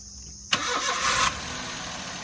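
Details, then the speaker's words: Suzuki Alto K10 first start after engine overhaul for a missing complaint (head cleaned, new head gasket, carboned pistons cleaned, timing set): short crank, catches at once, settles into an even idle with no misses; normal start. "तो देखिए starting condition गाड़ी की, पास में दिखाओ, voice दिखाओ engine की। तो ये कंडीशन आप देख सकते हैं पूरे इंजन की, सारी फिटिंग प्रॉपर हो चुकी है।"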